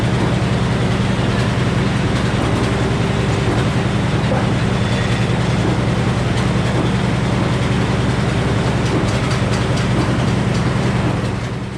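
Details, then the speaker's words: Old Frick sawmill cutting poplar decking boards: steady deep drone with a loaded cut running even and unlabored, working properly. "And we're getting them cut. Things are working well."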